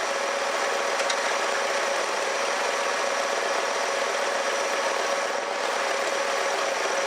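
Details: 1969 Lincoln Mark III V8 warmed up for the first time during tune-up and fluid work; it had smoked heavily when first revived. Steady, even idle hiss with no knocks, misses or surging, and no blow-by from the valve cover; normal idle.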